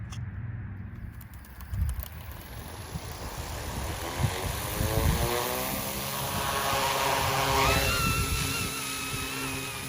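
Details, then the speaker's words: OMPHOBBY M2 RC helicopter fitted with a 2-inch EMAX tri-blade tail rotor, in flight: high whine rises and holds as load builds over the main rotor thrum; the tail rotor is too small and screams under load. "You can hear it kind of screaming. Yeah, it's not really big enough. Yeah, it's not built for it. It needs a bigger one."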